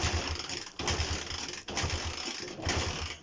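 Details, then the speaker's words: Honda CB125 RS, no fuel line connected but fuel in carburetor bowl, choke on: kicks turn it over with soft, uneven chuffing and no firing; no start, owner suspects low compression pending a compression test. "Absolutely no attempt to start at all, which is what I feared. But that's it for now. I'll let you know more whenever I get this compression test kit and test it for compression."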